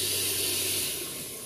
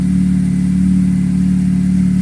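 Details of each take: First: Honda FD 1.8 VTEC with hard starting, fuel gauge test with pressure not holding: steady high-pitched spray-like hiss fading as pressure bleeds down; fuel escaping inside the pump. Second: Honda FD VTEC 1.8 engine after repair of hard starting; it started with one click. Steady, even engine hum with no misses or stumbles. Normal healthy running.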